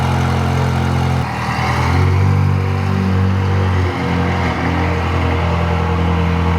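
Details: Ferrari's first cold start with a new exhaust and fiberglass-heat-wrapped headers: deep, even exhaust burble with a smooth rev blip and settle, no header ticking. Normal exhaust note; smoke is the wrap burning off.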